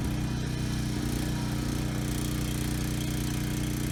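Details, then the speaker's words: Briggs and Stratton Storm Responder generator running after clearing a main jet clogged by untreated gas: steady mid-pitched drone at one speed, no surging or hunting, engine speed good; only a new fuel petcock is still needed. "Okay, good. Started first pull. The engine sounds good. No hunting or surging. Engine speed is good."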